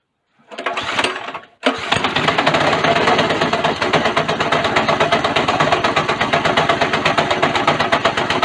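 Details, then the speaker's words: Go-kart small single-cylinder engine right after a governor bypass, with the throttle seemingly working backwards after reassembly: it catches after a false start, then runs with uneven, lumpy pulses about three per second, stuck at wide-open throttle. The cause was not yet found. "all right i've done something very very wrong for the life of me i can't figure out what i've done"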